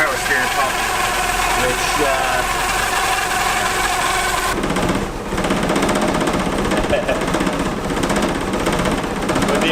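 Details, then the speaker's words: Mercedes 190E Evo 2, cold start, engine reluctant to idle until warm and likely to stall: rough idle with loud rattling, vibrating drone; owner suspects the power steering pump causes the noise and old gas or cold start the idle. "it hasn't been wanting to idle until it kind of like warms up a little bit so you'll hear it in a second is probably gonna die in a little bit but made this really loud annoying noise"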